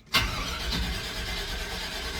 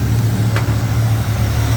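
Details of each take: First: Square-body Chevy K10 that only fails when up to temperature, recently fitted with a new ignition control module: starter grinds steadily for about five seconds but never fires; the new module is suspected to be burnt out, not confirmed. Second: Clapped-out K10 truck V8 after readjusting the distributor, base timing set at 16° from way too much advance: a deep, even burble with no misses, knocks or stumbles. It's idling well.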